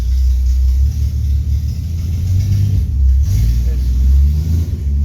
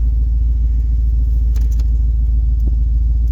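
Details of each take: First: Car run on premium fuel, home start: steady, even low rumble with no knocks, misses or surging; smooth healthy idle, still runs really well. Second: Vehicle cold-started after sitting about a week, idling: deep uneven rumble with steady low puffing from a pretty bad exhaust leak.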